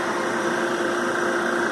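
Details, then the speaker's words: Brand-new Harvest Right oil-less vacuum pump on an older knob-style Harvest Right freeze dryer, first run during a vacuum test: steady even hiss with faint constant mid tone, no knocks or rattles; quiet enough not to bother someone watching TV nearby. "he usually hits it because the pumps are so loud so it's not bad to you while watching TV doing this not bad at all he said it's not bad"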